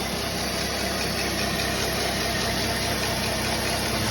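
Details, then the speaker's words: GM 3400 V6 petrol engine at first fire-up after a blown head gasket, cylinder head machining and valve job: smooth even idle with a steady hum and no knocks, ticks or misses, a little smoky. "little smoky she sounds good though"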